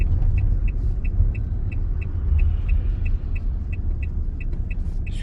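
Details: Opel Movano 2.3 biturbo diesel after all injectors were repaired with new nozzles: low road rumble accelerating from 20 km/h under load on highway, sharp regular ticks about three per second; stethoscope and oscilloscope locate knocking injector at cylinder 1.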